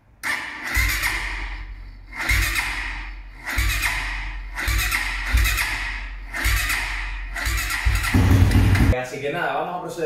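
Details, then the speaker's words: Quad stored in a garage, cold after a couple of days unused, being started: short cranking bursts about every second, engine never catching; hard starting, starter motor suspected (stuck or worn brushes) and to be removed and cleaned. "sobre todo cuando está en frío, que no se ha cogido en un par de días, le cuesta bastante arrancar."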